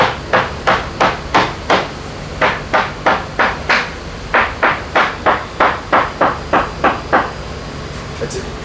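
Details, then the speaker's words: Leopard 45 catamaran hull, tap test with a hammer on a correctly re-glassed section: crisp, even taps about three a second, each ringing the same sharp note with no dull thuds; solid, well-bonded laminate, no dry glass. "it's a very uniform sound and as discussed before you need to be aware of things like chains and stuff and shelving behind the hole and not get caught up in weird notes"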